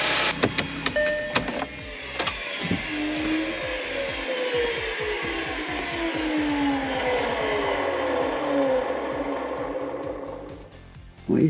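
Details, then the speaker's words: Supercharged Audi 3.0T (S4) idling after a valve clean and supercharger reinstall, with the coolant not yet filled: fast even ticking and a slowly sliding whir. Owner wonders whether it is the supercharger or the empty coolant; unexplained idle noise. "that noise is that the supercharger does it really sound like that is that cuz the coolant L are empty or is it just cuz we can hear it"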